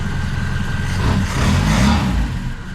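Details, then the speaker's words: Saab Sonett running on a replacement distributor rotor after a bad rotor, low uneven idle with lumpy stumbling beat and dropped pulses as it revs; owner first suspected timing, now suspects one of the old spark plug wires is missing. "sounds like the uh timing is a little bit [Applause] [Applause] I think what happens is I put my uh old spark plug wires back on and I think one of them is probably missing"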